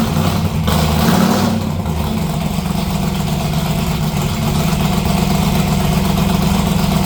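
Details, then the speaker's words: 1957 delivery with a V8 and new exhaust (Neighbor Hater mufflers) after fuel system work: engine catches with a brief rev, then settles into a deep, even idle burble with no misses or knocks. Normal start and idle. "I'm going to end this one here with some sounds of the new exhaust on the 57."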